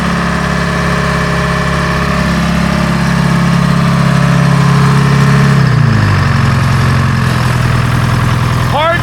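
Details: Grove crane with old Detroit two-stroke diesel, sitting 10+ years, cold start: deep steady drone settling to slightly lower idle partway through, runs even with no misses; healthy diesel idle.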